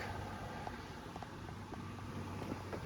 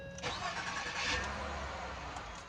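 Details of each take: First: Ford Fusion that won't start: rapid chattering clicks in bursts, several per second, with no cranking. Owner suspects a bad starter. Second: Ford Fusion after a starter replacement: quick crank, then the engine fires straight away and settles to a steady idle; normal start, though it still smells rich, owner suspects a leaking injector, no smoke seen.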